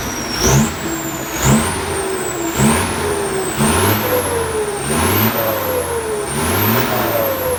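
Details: Throttle blips after fitting a new turbo (same brand as before) replacing one with a broken impeller; clean high whistle rises and falls with each blip, sweeter than before, no grinding or wobble. Normal turbo whistle.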